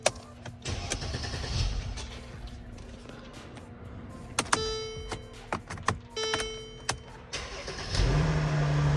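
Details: Mercedes after faulty electronic steering lock removed and emulator bypass installed: clicks and key handling, starter turns briefly, engine catches cleanly into steady idle; normal start confirms the repair.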